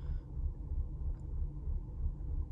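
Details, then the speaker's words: 2005 Mercedes CLK 320 idling in Drive while stopped: low, uneven, loping rumble with the car rocking side to side; smooth while driving, and the rough idle nearly disappears with the AC on full blast; cause unknown. "when I turn the AC on and the power on full-blast that really quiets down that rough idle and almost makes it go away completely but when I turn it off it just goes right back to rocking"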